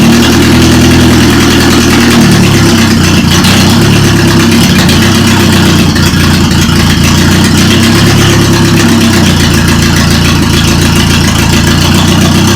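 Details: Toyota Corolla, first start after engine reinstall, with a suspected bad starter ground: settles into a fairly steady low idle with slight speed wander, no knocks or squeals; normal idle.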